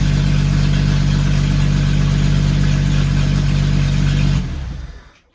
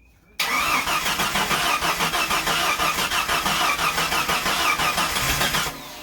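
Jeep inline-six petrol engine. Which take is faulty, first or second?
second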